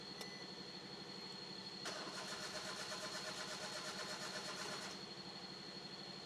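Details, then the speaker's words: Petrol car with warning light staying on: starter cranks with even chugging for about three seconds without catching; scan shows code P0340, camshaft position sensor A circuit, so no start. "ഇതിലിപ്പം വാണിങ് light self അടിച്ചേ വാണിങ് light പോകുന്നില്ല വണ്ടി start ആകുന്നില്ല അടിച്ചേ"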